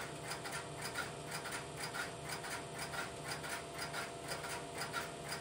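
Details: Idle Strowger step-by-step telephone switch, no calls placed: soft regular ticking about once a second over a faint hum as the interrupter relays cycle; normal idle.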